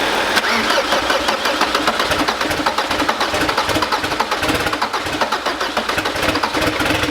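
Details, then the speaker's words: Audi Cabriolet diesel, freshly rebuilt engine, first start after priming oil and fuel and refitting injectors: harsh, unmuffled rapid exhaust pulses with sharp diesel clatter. Loud because the turbo downpipe is not connected to the exhaust line. "c'est normal parce que la descente de turbo n'est pas raccordé à la baisse de la ligne"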